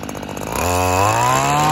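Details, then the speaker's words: Stihl FS 94R two-stroke trimmer, cold first thing in the morning after a tune-up, during carburetor adjustment: buzz climbs smoothly to a steady high rev with no stumble or bog; owner reports it normally bogs by midday and sometimes shuts off. "so i don't know guys it's kind of hard to tell just because it's not blocking down right now at the moment it's first thing in the morning just started it up um and i really thought it was going to be bogging down"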